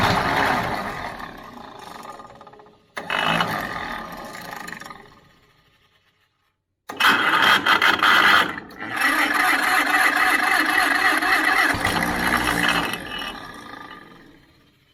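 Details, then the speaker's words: Pony motor on a 70-year-old 1950s barn-find D6 dozer: weak, uneven cranking bursts with gaps and a brief ragged catch that dies; sounds weak, battery jump pack needed; owner guesses a stuck carburetor float is starving it of gas. "She's trying. That sounds horrible. Gas. We have to put the jump pack on that thing. Yeah, it sounds a little weak, don't it?"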